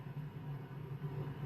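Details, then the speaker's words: Impact 60 W guitar amp with Partridge transformers, heavily modded, powered through a 100 W bulb current limiter at about 159 V, signal generator removed: only a faint steady low buzz, no filter-cap hum; some leakage noted. "And no, no capacitance hum at all whatsoever."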